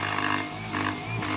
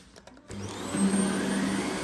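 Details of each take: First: When I push the vacuum forward, when there's a lot of suction, the brush bar bristles like to rub against the comb. And then as a result, you can hear it grinding and making an awful noise. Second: Dyson cordless vacuum on plus mode, cleaner head on flattened carpet: motor spins up to a steady high whine and holds pitch with no bogging or stalling; brush bar running normally.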